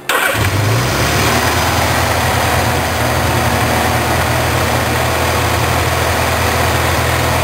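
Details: Four-cylinder carbureted engine after carb synchronization with homemade manometer: catches and settles into steady, even idle with smooth low rumble, no misses or hunting; cylinder four slightly strong.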